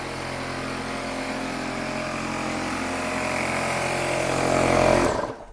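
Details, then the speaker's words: Workshop air compressor running during a Matrix T5 treadmill belt repair: loud, steady motor drone with a fast pulse about four beats a second, then cut off; compressor working normally. "I'm going to shut off the air compressor. So I don't know if you can hear that over the mic, but I'm going to shut it off."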